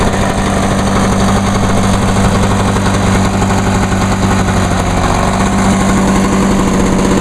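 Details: 1986 Lawnboy 8461 commercial mower, 21-inch cast aluminum deck, on choke, after fuel valve was turned on (had been forgotten off): fast even two-stroke buzz holding steady, no misfires or surging; running cleanly.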